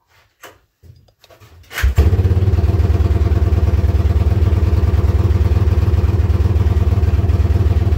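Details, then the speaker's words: Yamaha Wolverine ATV, running poorly, started before any repairs; exhaust has holes: short cranking then lumpy, smoky thumping idle about four beats a second, loping and bogging; rough idle later traced to a faulty handlebar switch, unplugged to fix. "a little sip there an idol and smokey I guess"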